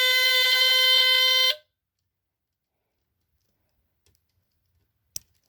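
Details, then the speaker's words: Rare early Dicon 200 ionization smoke detector (SM2B, no LED), cover off; shrill steady horn blares about 1.5 seconds then cuts dead, tone sounds off; owner suspects the battery, not confirmed. "Could be the battery. It's not supposed to sound like that, I don't think."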